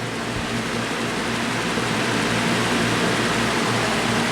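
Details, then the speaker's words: Repaired Lasko Cool Colors box fan on low, final test: steady, even whoosh with a soft motor hum and no knocking; running pretty well. "seems to be running pretty well let's go to media"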